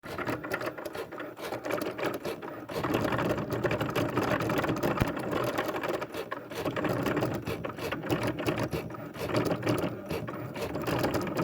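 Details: Sewing machine running with a harsh, fast ratcheting clatter that rises and falls with speed; loud mechanical noise, cause unknown.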